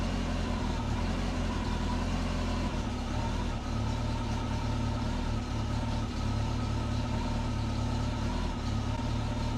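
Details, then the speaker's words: Turbo Subaru after a DIY exhaust manifold to up-pipe adaptor with a flex joint, restarted after fouled spark plugs were cleaned: the engine settles into a steady, even, rather low idle with no hiss or ticking, so no massive leak. It needs a little tuning. "It didn't sound like there was a massive leak or anything. That's good."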